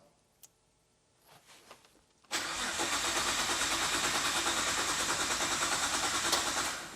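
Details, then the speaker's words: Imported cheapest Nissan GT-R of unknown history, first start attempt after oil top-up: faint relay click up front (owner suspects a kill switch), then steady starter cranking about three turns a second that never catches; crank, no start. "I can hear a relay clicking up the front when I"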